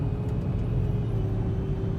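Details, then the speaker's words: Volvo XC90 V8, high mileage, driving when already warm: steady mid-pitched whine over low road rumble; owner suspects the power steering pump is drawing air (bubbles in the reservoir, O-ring ordered), not confirmed. "yeah see you could still hear the uh the wine even though it's already warm"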